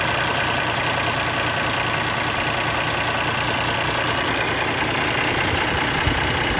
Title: Bad camshaft clicking noise from engine